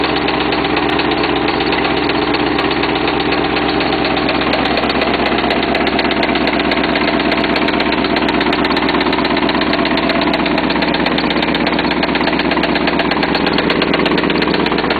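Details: Jaguar XJ6 with 1996 LT1 V8 swap, after about 10 miles driven with incorrect knock sensors: steady, fairly even knocking tapping with engine rhythm at idle; cause unknown, knock suspected, not confirmed.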